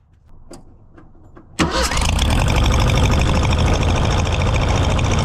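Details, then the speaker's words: Mercury Bobcat Villager after exhaust leak repaired with pipe plug, restarted: clicks then steady even idle with no puffing or ticking, much quieter. "I'll fire it up and see how much quieter it is"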